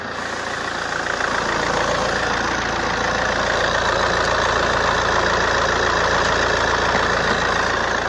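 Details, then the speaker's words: Alfa Romeo, well-kept with good coolant and correct oil level, idles steadily with a smooth constant hum, no knocks, ticks or misses and no excessive exhaust smoke; sounds healthy. "She's running and sounding sweet, as you can hear. We've got no excessive smoke out the back."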